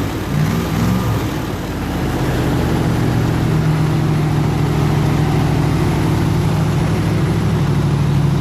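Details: 302 V8 powering an air compressor, at 160 degrees operating temperature and 9 psi fuel pressure, re-ended plug wires: steady, even low drone at constant speed, no misses, knocks or ticks; running healthy.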